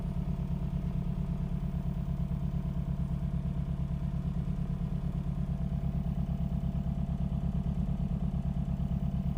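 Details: 2013 Hyundai Genesis Coupe 2.0T Premium at idle: uneven, lumpy stumble about three times a second from misfire on cylinder 4, which has no compression; dealer says there may be a hole in the piston.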